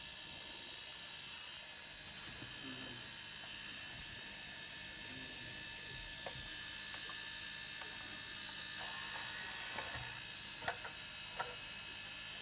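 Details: Wii U console with a quiet, steady high-pitched whir and buzz with faint ticks. It persists with the rear cooling fan unplugged and with the optical drive unplugged; source unknown.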